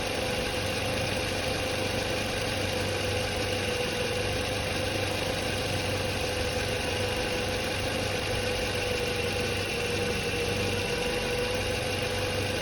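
Steady, even idle with a smooth low hum and no whine, squeal or rattle; the alternator and charging system sound healthy.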